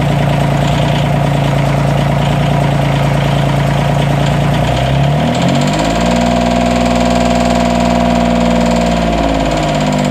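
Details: 332 diesel at idle: uneven lumpy beat with loud clicking and stumbling, intermittent misfire; owner suspects head gasket leak among other issues, unconfirmed.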